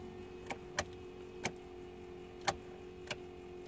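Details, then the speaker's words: Cummins-powered vehicle with a starter that had to be hit with a hammer to work and has had a hard time starting. Single sharp clicks about once a second, unevenly spaced, over a faint hum, with no cranking. The starter is stuck. "as I was saying it's had a hard time starting I'll try and see if it does there right now and show you guys what it does how it sounds like see it's not starting at all"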